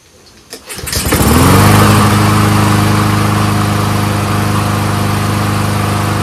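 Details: Honda-powered Troy-Bilt 21-inch front self-propelled push mower after brake cable and bail linkage fix: fires within a second on one pull, revs up, settles into a steady, even run with no misses while warming up.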